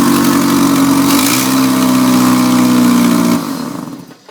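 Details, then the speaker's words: GM 2200 2.2L four-cylinder S10/Sonoma after new spark plugs and wires: loud, raspy even running, brief blip, then shutdown; suspected header exhaust leak up front, not confirmed. It was barely running and popping before the tune-up. "So it runs nice and smooth and super loud, but we're just here to make it run nice and smooth, not make it run quiet. So it's got a header exhaust leak or something up here, really loud."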